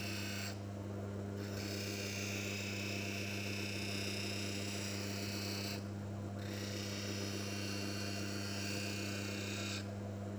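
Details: Manual lens faceting machine: constant motor hum with a gritty hiss that fades every few seconds as the lens lifts off the grinding stone; normal V-bevel grinding of a rough-cut lens.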